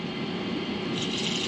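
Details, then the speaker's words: AliExpress Leydun Usopp casting reel during a cast: dry, raspy scraping whir as the spool rubs against its side; magnetic and drag adjustments offer little precision. "Euh, on entend qu'il y a durant le lancer, il y a la bobine qui frotte d'un"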